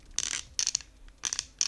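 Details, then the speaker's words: Logitech G332 gaming headset after one year of use: dry, high-pitched plastic creaking in short bursts each time the headband is twisted, the frame joints creaking under flex, a build-quality flaw. "so pretty much every time you twist that headsets in any direction these things creak like mad like literally right when I put these on guys like you move them a little bit and they're creaking like mad"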